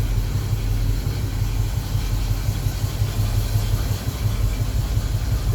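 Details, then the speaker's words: 1976 Chevrolet K5 Blazer Cheyenne V8 with headers, about 20,000 miles shown, revived after sitting 7 years: deep, even burble at a loud cold-start idle with no knock or miss; owner thinks it lacks a thermostat; healthy engine. "Here's a cold start. Yeah, it has headers. It's pretty clean up there."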